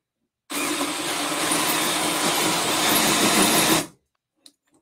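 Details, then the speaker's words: New Milwaukee M12 FUEL gen 3 1/2" drill/driver: about three seconds of strained high whirr, then complete cut-out under load with finger still on trigger, light flashing; drill cutting out under load. "so that was a complete cut out Lucy finger's still on the trigger flashing it"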